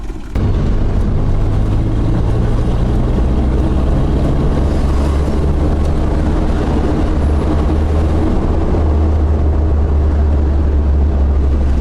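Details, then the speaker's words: Toyota Lite Ace van with 5K engine, test drive after replacing the exhaust manifold gasket: a deep, smooth drone with no exhaust leak puffing, popping or backfire. It was very loud before the repair and is now quiet. "y guys nawala na yung exhaust lick niya ah dati sobrang sobrang galit yung makinang pakinggan ngayon tahimik na siya"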